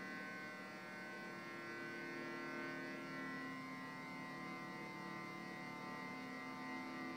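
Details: Xbox 360 left unpowered for years: loud, steady multi-tone whine with a rough buzzy edge from the cooling fans; worn fan bearings suspected.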